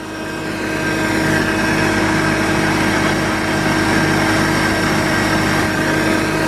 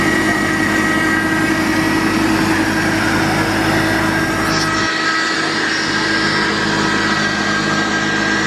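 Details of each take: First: Jeep Cherokee Pioneer, unregistered since 1993, first run in about 20 years, hot-wired with no key, now idling on its own power: steady idle with a loud constant droning whine over the engine from the power steering pump. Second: Jeep Cherokee Pioneer, unregistered since December 1993, after a cold start, hot-wired with 12 V to the ignition coil and jump-started, now running on its own: steady even idle with constant hum, no misses or knocks; normal idle.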